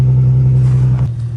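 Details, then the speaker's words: Infiniti G37 jump-started after battery was disconnected and car sat about 1.5–2 weeks: engine catches and holds a strong low steady drone, then eases off, no misfire or stumble; normal engine start. "I knew she was gonna be dead. Let me jump it real quick."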